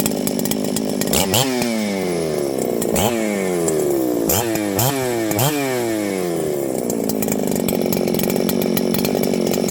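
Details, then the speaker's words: Ported Husqvarna 394XP chainsaw after troubleshooting, with the ignition coil suspected as faulty: it picks up cleanly on several throttle blips and drops back to a steady idle without stumbling; judged fixed. "well friends I'd say it's fixed let's see how this thing restarts really important to me that my saws restart easily"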